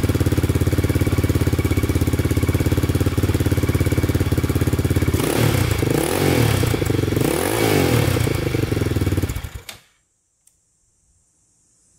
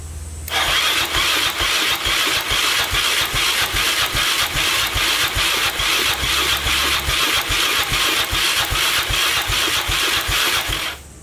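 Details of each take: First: 2002 Yamaha Raptor 660 quad after timing chain and bent-valve replacement. It fired right up once a portable charger was used. Steady single-cylinder idle picks up cleanly on throttle blips, then shuts off. Running great, with a small oil leak noted. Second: 2002 Yamaha Raptor 660 after timing chain and bent valve replacement, choked, first start attempt: sluggish even cranking about two to three strokes a second for ten seconds, never catches; starter turning it over too slowly to fire.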